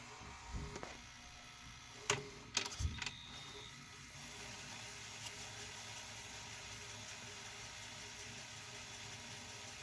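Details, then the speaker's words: JVC HR-J3009UM VHS VCR, possibly Orion-made inside, said to be broken, doing a normal fast forward with the case screws removed; clicks as the mechanism engages, then a steady, even whir with no audible kick-up to a faster speed; fast-forwards normally. "Now, does it have a fast speed that it kicks up to? I'm not hearing it."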